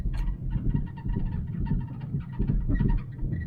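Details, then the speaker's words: 2009 Mustang while driving: short chirpy squeaks several times a second over road rumble, new since work, seeming to come from the rear; owner suspects the new sway bar and links. "And now I got a squeak when I drove it. See? Didn't have a squeak before. But now it sounds like it's coming from the back."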